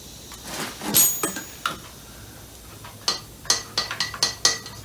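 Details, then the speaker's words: Homemade compressed-air motor on a bicycle assist: sharp, uneven metallic clacks in quick clusters of four or five as the pistons lose contact; springs behind the pistons are planned to keep them in contact. "And I might need to put spring in behind those pistons too to keep them in contact so that you don't hear that click, clack, clack, clacking all the time."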